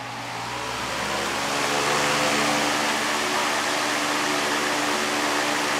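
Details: Patton 18-inch high-velocity fan model U2-0018, four-pole PSC motor, on high speed after blade pitch was increased to rebalance it: smooth, even rush of air with steady motor hum, no rattle or wobble; runs much quieter and moves more air.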